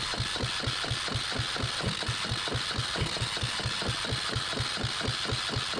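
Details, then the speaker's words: Yanmar 1GM single-cylinder marine diesel from a sailboat, throttle opened: slow, even cranking thumps about two per second, never catching; cranks, no start. "I don't think that is the reason why it's not starting but let's give this a try now uh matter of fact I know why it's not starting"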